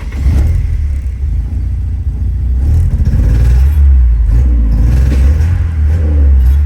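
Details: 1984 Porsche 944 that won't rev above about 3,000 rpm, tested with a swapped airflow meter: revs rise but the note stumbles and chops unevenly through the pull; still misfiring under acceleration, cause unknown.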